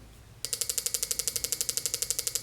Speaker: these are both running if you hear that injector clicking this bottom button changes the duty cycle of this five volt signal